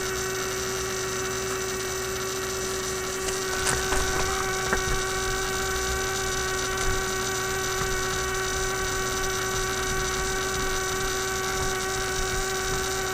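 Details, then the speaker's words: Constant low buzzing hum with a steady mid tone from a 1967 Heathkit Electronic Projects Kit AM transmitter build; the noise persisted with the coil and power disconnected, so the noisy bench power supply was the source. "now i've disconnected the power from it is still making this noise how the heck does that work discovered something new the single wire power supply okay so my supply is simply putting out this noise here"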